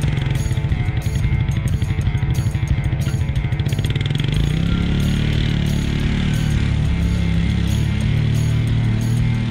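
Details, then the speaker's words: 1996 Suzuki King Quad 300 4x4 ATV after carburetor rebuild, still a little cold: single cylinder thumps along evenly, then picks up smoothly with throttle, no misses or knocks; running normally and better than before. "well as you can see it's running now and it's running a little bit better than it did before"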